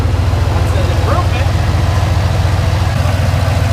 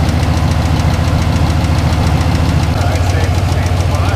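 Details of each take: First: Junkyard LQ4 6.0 V8 from a Silverado 2500 in a Foxbody Mustang, after oil pan dropped again for oil-pressure problems (suspected oil pump pickup sucking air), hot: even deep idle pulsing about 3.5 times a second, quiet, no knocks; normal hot idle. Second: Foxbody Mustang with a junkyard LQ4 6.0 V8 and an ongoing oil pressure problem: while accelerating, a steady rapid knock of about three or four a second returns over a loud low drone; cause not yet known.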